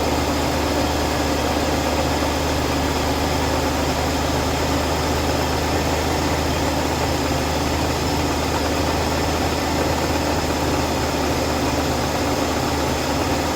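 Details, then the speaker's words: Oldsmobile idling after its vacuum leaks were found and fixed: a steady, even idle with a smooth low rumble and no hiss, whistle or irregular beat; a quieter, healthy-sounding engine. "that's such a quieter though I don't hear nothing coming out of it none of this area"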